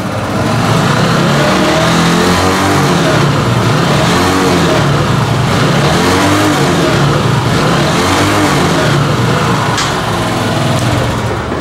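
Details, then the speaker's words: Italika Z 150 150cc motorcycle: starts fine, revs repeatedly then cuts out at 6000 rpm like a rev limiter and falls back; carburetor faulty, starving it at the top. "mira lo que sucede se enciende bien pero lleguen qué pasa cuando llegamos a seis mil revoluciones"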